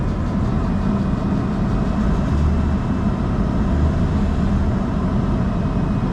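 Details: Mercedes-Benz with over 400,000 miles, after a part replacement, revved in the garage: a steady, even low rumble, V8-like, with smooth regular firing and no knocks or misses. Revving seems to have cleared an earlier injector problem; the engine sounds healthy.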